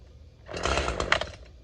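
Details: Chainsaw carving at high idle/high throttle: a brief burst of steady, high chain speed as it bites into wood, holding an even pitch without surging. The consistent spin is quieter than varying the throttle; running normally.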